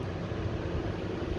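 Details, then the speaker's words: MaxxAir roof vent fan in a bus conversion, heard from inside, on temporary wiring from battery box: steady even low hum with smooth airy rush, no rattles or catches; fan running healthy. "So that's it from the inside. Just humming away there nicely."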